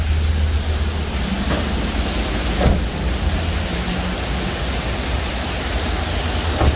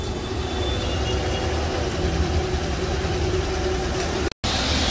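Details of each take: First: Car idling with AC running and still cold: steady low snoring drone from a noisy, worn piston-type AC compressor. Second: Car AC compressor, noisy after about 10 minutes, after a plastic-based fix, five minutes of running: steady even engine and compressor drone with no creaking or rattle; compressor running smoothly so far.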